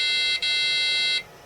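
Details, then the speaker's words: Amiga A2386 386 Bridgeboard with corrosion, no CMOS battery, booting: a high beep, a brief break, then a longer steady tone of about a second; BIOS reports extended CMOS checksum error, CMOS RAM suspected faulty. "And then that sounded like a BIOS error, didn't it? Hang on. Check some error on extended CMOS. That actually makes me think that the CMOS RAM is borked."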